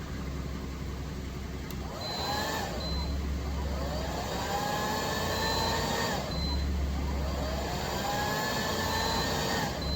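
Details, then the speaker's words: EGSCATEE 2500W pure sine inverter on idling car via 6 ft 10 AWG jump cables, blow dryer switched to high (over 140 A DC): dryer whine dies and spins back up every few seconds as fault light trips; low-voltage protection cutout from cable voltage drop. "After about 2 or 3 seconds, the power light gonna turn to a faulty light and shut down the power. You can hear the blow dryer shut off, slow down, and powered on again."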